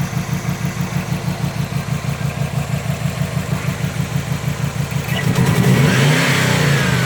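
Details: 2005 Subaru WRX EJ20, code P0340 and cylinder 3 misfire despite new coil, spark plug and front O2 sensor, timing belt and MAF checked, compression good: idle with a lumpy stumble about three times a second, then a rougher rev-up; misfire, cause unconfirmed.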